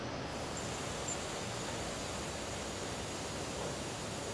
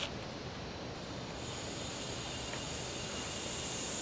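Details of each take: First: Car AC system pressurized with nitrogen to about 100–110 psi for leak testing: constant airy hiss with nothing mechanical, traced by ear to a leak at the condenser; soap solution to confirm. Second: Auto AC leak test: a quiet, steady hiss as nitrogen flows in from zero up to 150 psi (never exceed 200). The hissing stops at 150 psi, then the gas is shut off to watch for a pressure drop; normal fill.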